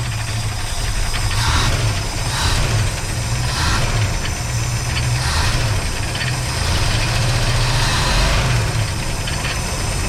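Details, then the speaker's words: Van sat 15 years, freshly tuned with new plugs, wires, cap and rotor, started on starting fluid: uneven idle, heavy smoke, with slapping fluttering from unhooked alternator and AC compressor belts flailing loose. "see it's running it is really smoking up and you see that the fan belt is going on it's shaking a little bit but yeah the van is running now"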